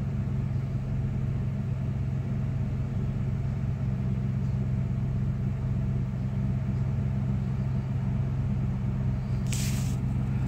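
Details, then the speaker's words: 1996 Dodge Ram 5.2 V8 just after a throttle body cleaning and new IAC valve: steady, even low rumble with no misses or hunting, settling into a smooth, slightly raised idle. Previously RPMs dipped very low on throttle let-off. Normal idle. "So far, so good. It already idles a little bit higher than it did before."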